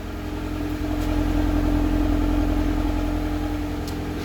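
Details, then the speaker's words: 2003 Honda Civic, first start after a complete engine overhaul prompted by an oil leak; the idle clears up as it burns off whatever was in the cylinder, then holds a steady, even, smooth hum with no misses or knocks: normal idle. "Well, actually, it sounds pretty good. Let's go check the exhaust. Oh, it just cleared up. Did you hear it? It burned off whatever was in the cylinder."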